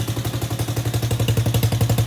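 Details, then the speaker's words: Power Wheels Ford F200 build, hollow slip-on Tractor Supply muffler exhausting up front; sharp loud pops about twelve a second, barely softened. Loud exhaust from ineffective muffler, likely going back to the store. "honest enough quaintly loud you're you're saying that doing much so I think it's probably gonna head back to the store"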